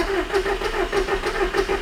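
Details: 2006 Audi TT Quattro 1.8 turbo: starter cranks in an even chug, roughly three compressions a second, but the engine never catches; no fuel delivered, pump seized.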